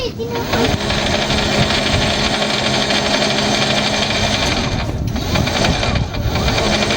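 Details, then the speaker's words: E-bike motor: steady mechanical whine with rough gritty grinding beneath, loose, wobbly gearbox inside found as the cause; unit to be disassembled. "O pala ang salarin. Ang gearbox sa loob ay maalog-alog."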